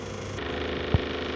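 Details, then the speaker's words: Refrigerator, heard from the compressor area at the back: a loud, steady low drone with one dull knock. The noise comes from a damaged condenser fan, and the area has been modified for extra compressor cooling. "podemos aparecer va a apreciar varias cosas la primera de ellas es que indudablemente el ruido viene del ventilador"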